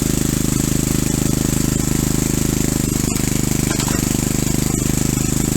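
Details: Rebuilt single-cylinder engine honed lightly with new 0.030-in oversize rings, driving a hydrostatic unit via a driveshaft off the flywheel, running under load: hollow, regular knock on every firing stroke; piston slap, as the owner expected.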